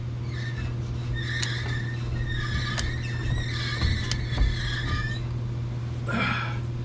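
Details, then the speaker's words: 1980 Chevy C10 rear end, driveshaft turning: low steady hum with faint scraping squeal and sharp tick about every 1.5 s; owner suspects speedometer gear or cable, grey residue found, source unconfirmed. "Yeah, it's coming from right in here. I wonder if it's a speedo gear."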